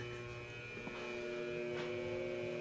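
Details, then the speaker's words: Junkyard Ford 351W 387 stroker block being test-spun during assembly: a thin, steady high-pitched squeak over the quiet spin of the crank, as if something is rubbing. "did, but it's squeaked anyway."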